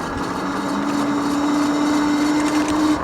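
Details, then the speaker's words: Tracer Loiter 26-inch cruiser e-bike, 800 W peak, while riding: thin steady whine rising slightly in pitch under wind and road noise; motor whine, rider unsure whether front wheel bearings or brake. "Now, there are some extra noises. I don't know if you can hear that, but the motor does make a little bit of a noise here."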